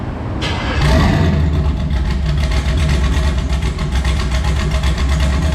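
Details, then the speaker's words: Chevy Colorado, first start after a new turbo install with side-exit exhaust: cranks, catches quickly and settles into a steady, even idle with a deep exhaust rumble and no knocks. Sounds healthy. "All right, so we got it all back together with the new turbo. We're gonna fire it up for the first time. Go ahead and start it up."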